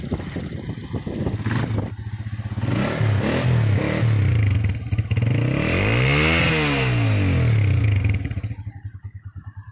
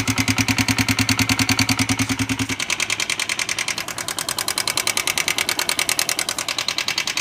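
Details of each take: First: Honda CB Shine 125, 2015 model, after pushrod replacement: single-cylinder revs climb cleanly and drop back smoothly with even exhaust beat and no tapping; healthy normal revving. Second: 2015 Honda CB Shine 125 single-cylinder: sharp even ticking about three times a second over steady idle from excessive valve train play; worn push rod, later replaced.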